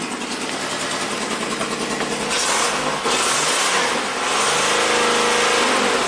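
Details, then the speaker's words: 1990 Buick Regal GS V6 with severe low power and low manifold vacuum, idling after a fuse was plugged in: a lumpy, uneven idle stumbling about three times a second. Misfire, fouled plugs suspected. "well something changed we're dropping on the map here jumping has a misfire maybe the plugs are followed out"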